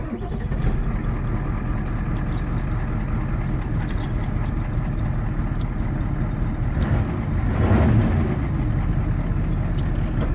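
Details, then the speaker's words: Ford 7.3 diesel started after the glow plugs heated, following serpentine belt and failing tensioner pulley replacement that had caused knocking. Deep, steady clatter settles to a smooth idle with no click; normal start and idle. "And the sound is gone, my friends. No more jumping tensioner pulley. Click is gone. Smooth running."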